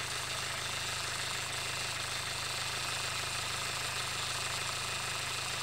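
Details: 2019 SsangYong Rexton Sports diesel after oil cooler replacement (coolant and engine oil had mixed) and damper pulley noise fix: steady, even idle with smooth low rumble, no knocking or rattle from engine front; normal.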